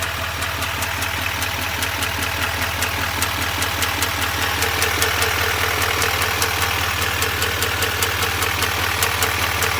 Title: 2021 duramax l5p ticking noise